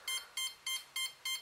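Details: Cheerson CX-20 quadcopter after power-up: steady high-pitched beep repeating about every 0.3 s from one motor's ESC while that motor won't power up and the other three do; fault tone, fixed by replacing the ESC board.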